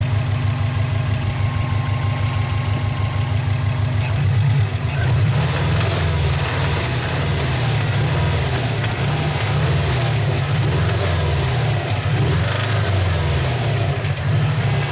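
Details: 2003 Subaru Impreza WRX with a deep, lumpy petrol idle and a fast, uneven rattle or knock through the low rumble; the cause is unknown.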